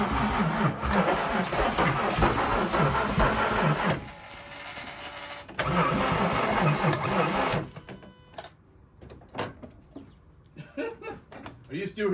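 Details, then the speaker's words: VW Jetta Mk3 VR6 12v during a motor swap, son holding the fuel pump: a labored starter churn at about 2.5 turns a second stops with scattered clatter. The engine smokes a lot and cranks slowly; the motor is suspected to be locked. "uh I think this motor is locked that's why it's uh slow uh cranking"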